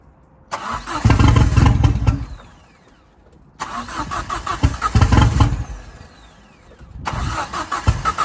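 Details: Fiesta RS Turbo restoration, first start in over four years, manifold not tight and downpipe hanging: cranks, catches and revs in short bursts, then a quick steady idle, firing cleanly; normal first start.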